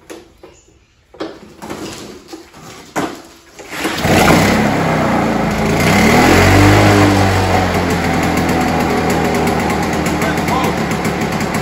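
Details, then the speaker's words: Victa two-stroke Commando lawnmower, found dumped, after a simple carburetor clean and priming: it fires and settles into a crisp, even buzz that holds steady without stumbling. "there you go folks with a simple carb cleaned like we've just done she's now starting first pull"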